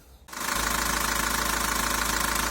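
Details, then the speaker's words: 1.9 dCi diesel after cleaning the sensor: steady idle with even clatter, no sharp surging; before cleaning revs rose and fell sharply, jerked and ignored the throttle pedal. "працює вже більш-менш рівненько нема таких різких ніяких скачків"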